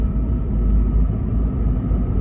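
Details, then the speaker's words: Land Rover Freelander with Rover KV6 V6, back on the road at operating temperature after repairs, under kick-down acceleration: deep smooth rumble, no blowing, ticking or rasp; exhaust sealed and quiet. "that was me kicking down and it's silent completely silent now"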